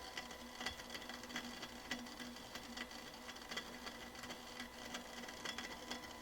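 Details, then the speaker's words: Sony TA-F60 integrated amplifier about 3 minutes after power-up: faint irregular ticking and crackling, a few snaps a second, from fluid boiling inside its early heat pipe. It subsides when the heat is turned down and is not a fault. "I don't know if you can hear that. I think that's coming from the heat pipe."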